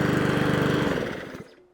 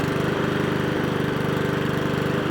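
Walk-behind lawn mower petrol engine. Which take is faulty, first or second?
second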